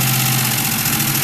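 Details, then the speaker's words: 2000 Ford Mustang GT 4.6, back together: idle drifts up and down with a light tick over the engine; unstable hunting idle, owner dislikes the running and ticking, engine to be torn down, cause unconfirmed. "I don't like the way it's running, and I don't like that ticking noise."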